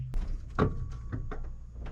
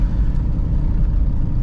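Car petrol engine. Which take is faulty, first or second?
second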